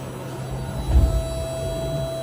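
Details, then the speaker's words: Boat bilge pump, newly fixed, running on board: steady low electric hum with faint higher whine, no knocks or rattles; normal operation after repair. "The bilge pump, it comes on. I know you can't hear it, but it's actually on."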